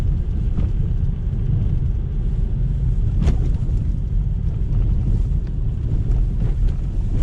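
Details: 2020 Lada Vesta SW Cross, 13,300 km, 1.8 engine, AMT, updated SAAZ front struts, driving on a rough road: steady low road rumble with wind and one dull thud, no sharp knocks; suspension normal.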